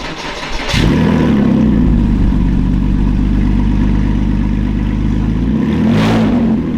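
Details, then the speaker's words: Porsche Boxster 987, first start after fitting the new exhaust with the joints tightened: steady, deep, even drone with no puffing or ticking at the joints. Exhaust not blowing, sealed and healthy. "Would you say it was blowing? Didn't sound like it was blowing at all. It just sounds like it's coming out exhaust."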